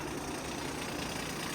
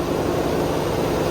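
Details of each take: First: Via Motors VTrux, low mileage, V6 engine with front clutch driving generator; at idle as the clutch disengages, a loose busy rattle over the engine, diesel-like, not an exhaust leak; generator clutch rattle at idle. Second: Via Motors VTrux, V6 engine under hood; after morning startup, engine revved with front generator clutch fully engaged, generating electricity: smooth steady hum with fan noise, quiet, no rattle; normal running under load.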